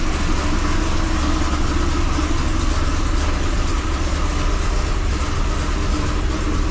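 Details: 2005 Chevrolet Corvette, first start after head gasket replacement with head studs and new headers, coolant not yet bled. Steady deep idle, even low rumble, no knocks or misses. Normal idle.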